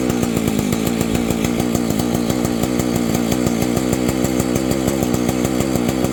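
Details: Vintage Husqvarna 285 chainsaw being rebuilt with replacement cases and cylinder: high, even two-stroke buzz with fast regular firing pulses holding steady revs. Owner says it stalls after idling, suspects ignition.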